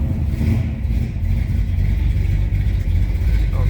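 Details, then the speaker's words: 1970 Dodge Dart Swinger 360 V8, Edelbrock intake, automatic, just after cold start: idle with slight uneven lope from a mild cam, revs up cleanly and settles; good-sounding, healthy engine. "it's got a nice little cam in it take a look at the dash good sounding 360."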